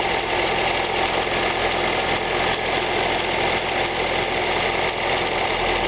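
Cold idle with a light, quick ticking riding over the engine hum, not perfectly even; a top-end tick whose cause isn't pinned down.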